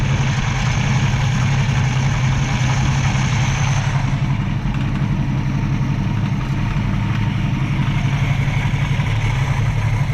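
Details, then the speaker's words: 1965 Mustang inline six after carb bench adjustments to choke plate and tang and reconnecting the heat riser tube; smooth, even idle around 800 rpm with no stumbles or ticks; normal idle. "i'm happy with that [Music] that sounds so much better hopefully we have this all figured out"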